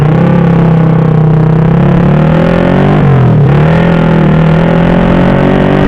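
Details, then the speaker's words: Honda Supra Fit with a newly fitted PE24 carb (replacing a PE28), on the road: fine low down, but the drone sags and hesitates when accelerating through mid-high revs. Ignition is suspected besides carb setting, not confirmed. "Bro, you can see that, for medium to high rpm, when we try to accelerate, there is a serious crash, well, there are other factors, Bro, not just the carburetor part, the ignition part could also have an effect"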